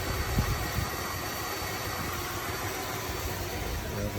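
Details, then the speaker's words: 1978 Dodge Diplomat that sat since 2007, after Lean Burn ignition conversion: idling at 750 rpm with timing advanced 10°, earlier noise cured by plugging something; steady, even idle with a smooth low hum, no knocks or misses. "Got herling good at 750 RPM. Uh, advanced at 10. That was the noise before and I just had to plug this thing. Probably plug it better. Sounds good."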